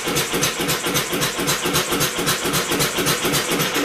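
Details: Homemade double-expansion 4-cycle engine converted from a two-cylinder air compressor, first run. Quick even chuffing, nearly four pulses a second, over an electric-motor assist hum. It fires but won't self-run; owner suspects the flywheel (original pulley) is too light after the governor unlatches the exhaust valve.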